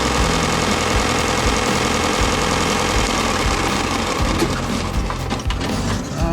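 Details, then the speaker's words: Bauer 4 x 36 in belt/disc sander after belt change, unloaded test run: even continuous motor hum with steady belt hiss, no slapping, rubbing or grinding, belt tracking well; normal running. "You can see it's already you know, tracking well, so let's leave it on for a little longer."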